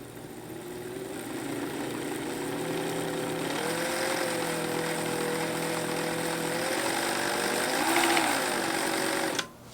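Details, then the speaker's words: Pfaff Hobbymatic 807 sewing machine running: steady mechanical whirr with rough, gritty gear whine, only slightly quieter after adding grease; owner suspects the meshing of two internal gears, cause not confirmed. "so i'm most suspicious of the interplay between this gear and this gear i don't know if i can i feel like that is where the sound is coming from the most"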